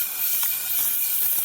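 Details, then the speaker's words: Trailer tire inflation system with air on: a steady high hiss, constant and unbroken, as compressed air leaks past the rotary seal inside the axle hub. "there's a rotary thing that's inside there that that uh can leak and that's what's going on i can i can already hear it"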